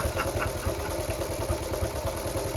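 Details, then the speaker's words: Honda Cub C70 under restoration, single barely ticking over with a slow, lumpy putt of about four and a half beats a second while the idle is being adjusted; idle set a bit too low. "probably a bit too low I'm just I'm just I'm just having a bit of a play here"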